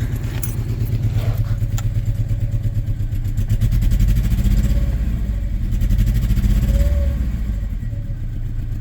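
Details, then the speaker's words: 2007 Saturn Ion 5-speed beater, just started: low uneven lumpy idle that steadies a little after a minute; owner suspects bad gas, no flashing check engine light, fuel smell and a fuel leak found. "She's not happy. She's probably got some bad gas in her. It runs though very poorly."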